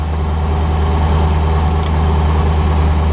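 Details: 1985 Chevrolet Corvette C4 V8 at 14 degrees, just revived after a no-start traced to a poor negative battery cable connection: steady even low rumble, no misses or knocks, warming up; oil and coolant temps low, normal cold idle.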